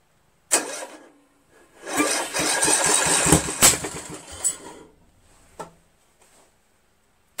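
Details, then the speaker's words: Craftsman lawn tractor with Briggs 17.5 HP engine, flywheel key removed and magnet hand-aligned to the magneto at top dead center: sharp cranking pops, then a ragged burst of firing for about a second before dying; hand-set timing got it to catch. "Tony Vento's idea works we saw it ran for a second that's the most we've ever seen it"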